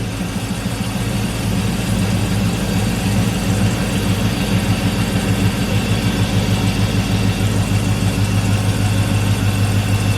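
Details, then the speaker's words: 5.3 Vortec V8 idling after replacing fuel injectors (Corvette fuel filter, rerouted fuel lines), fuel pressure about 60, not yet up to temperature: low, steady, even burble with no misses, ticks or knocks; everything sounds good, normal idle. "Everything sounds good. All right, guys, so as of right now, she looks like she's running all right."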